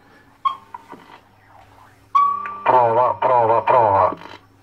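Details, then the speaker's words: Alan 48 BSX / Midland 7001 CB radio after VCO replacement, previously weak transmit output with siren-like squeal; fixed by moving a resistor that touched an anchoring point, now clean speaker audio with no self-oscillation; low (below-zero) channels still not working. "ho risolto il problema c'era questa Resistenza qua che toccava su questo punto di ancoraggio qua lo spostate adesso adesso va bene adesso va bene"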